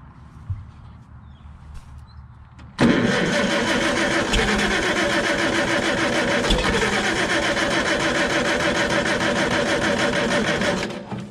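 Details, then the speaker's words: Farmall Super C tractor with points ignition and a no-start condition: steady cranking for about eight seconds without firing. The coil negative shows no voltage fluctuation, so the points are probably stuck closed or the circuit is shorted, giving no spark. "Okay, and we see we don't really have any fluctuation there, which tells me that the points are stuck closed probably, or there's something that's shorted closed on that circuit."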